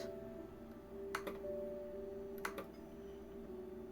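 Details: Old Acer Aspire laptop running Windows Vista, being checked with CrystalDiskInfo: two short sharp click bursts about 1.3 seconds apart over a quiet hum, likely from the drive.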